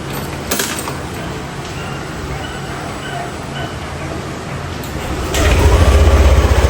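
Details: Yamaha NMAX V2 scooter, 2 years old, 19,000 on the odometer, after magneto and stator cleaning: fires and settles into an even, quick idle throb with no rattle or scraping; the earlier noise from the magneto side is gone.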